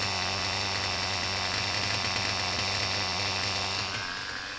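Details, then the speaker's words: Reds R5 nitro RC engine, low-speed needle leaned and idle raised, run indoors with a 3/8 fuel injection line on the pipe: high even scream holding steady then easing off, no rattle or knocking; earlier "chipmunk" noise absent, normal running. "thank you you guys hear that sickening noise from the last video because I sure don't"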